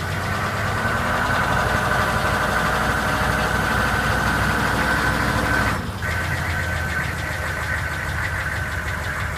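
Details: GM K2500 6.5L diesel, run for the first time in a year, idling: a steady, fairly regular knock about three per second over the clatter; cause not evident.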